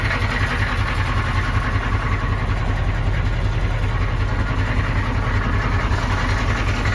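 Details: 1993 M998 HMMWV, 6.5L naturally aspirated Detroit diesel, cold start; it ingested water during a crossing and lost compression, owner assumes hydrolock bent a rod: deep, fairly regular knock around 150 per minute over the idle clatter. Knock at idle.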